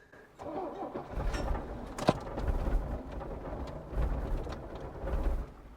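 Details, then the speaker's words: Mercedes OM617 turbo diesel after sitting 5–10 years, cold, low on oil, after glow plugs: brief cranking, then fires and settles into a lumpy but even diesel clatter with no misses or knocks; it kept running with key off. "I'm glad it turned itself off, because when I turned the key off, it stayed running."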